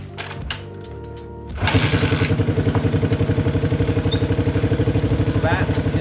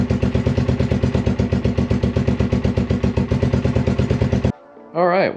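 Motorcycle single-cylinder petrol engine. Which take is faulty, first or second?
first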